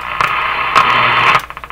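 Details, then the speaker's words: General Electric KL-70 AM/SW radio with a non-working AM broadcast band, turned up to full power: loud hissing static with crackles fading into regular clicks. "turn it up sounds like the am band what's happening [Applause] loose ground connection okay that's what's happening there"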